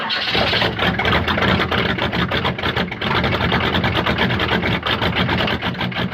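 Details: Diesel-swapped Monte Carlo, cold start in snow after sitting, no throttle, barely any glow plug heat: a lumpy, uneven idle with irregular heavy pulses and clatter; it smooths out once the glow plugs warm up.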